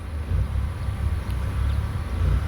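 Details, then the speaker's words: Engine idle lopes and surges while the cooling fan runs (smooth with fan off; normally dies shortly after fan kicks on), during an overheating problem where temperature pegs and coolant overflows at the radiator cap after a mile or so of driving. "Had to rev up the engine cuz it's kind of running rough with the fan on. When the fan's not on, it idles perfectly, but it's got a surge to"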